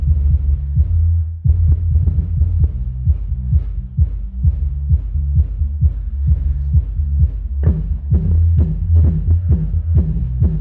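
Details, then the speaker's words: Subwoofer amplifier repaired for a relay that would not engage: after repair it plays deep, thumping bass at a steady pulse, clean and undistorted with no buzz or crackle; camera mic captures little bass. "Ui giời rung khắp nhà mình luôn Các bạn nhìn gió nó thổi ra này"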